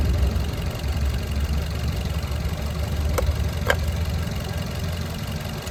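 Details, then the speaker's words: 2021 Maruti Dzire petrol+CNG idling with a low uneven rumble and vibration; cylinder 2 dead, P0302 misfire (also P0171 lean, P0300), unplugging its coupler changes nothing; the main cause is given as a faulty ECM. "दो number cylinder काम नहीं कर रहा है।"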